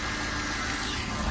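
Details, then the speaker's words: 2006 Cadillac DTS Northstar with code P0305, after replacing one spark plug and coil: smooth, even idle with a steady low hum and no stumble or shake; it sounds normal and appears fixed. "That sounds pretty fucking normal to me."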